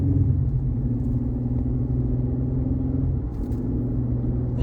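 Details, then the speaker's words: 2020 Chevrolet Colorado with a bad torque converter clutch, driving with the clutch lockup disabled by scan tool: steady road rumble and even engine drone with no shudder. It drives fine. "So I don't feel it anymore, and as you can see, that green line, since the green line that it was in there is not on there anymore because we shut it off, and then I can't feel anything now. It's driving fine."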